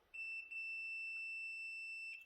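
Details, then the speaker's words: Newly installed kill switch on MCD XR5 71cc, multimeter continuity test: steady high-pitched tone for about two seconds while the button is pressed, none when released; switch closes properly. "but the minute we press that button we should get continuity i had a little buzzing sound"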